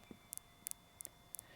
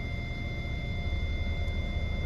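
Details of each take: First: Hyundai i40 rear parking sensor with the car in reverse, microphone held near the sensor while a finger touches it: crisp paired clicks about three times a second, so this sensor works; the system shows a parking sensor fault. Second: Hyundai i40 with parking sensor system fault, Auto Stop deactivated, in reverse with nothing behind; an unbroken high-pitched constant warning tone over a quiet idle from faulty rear centre parking sensors.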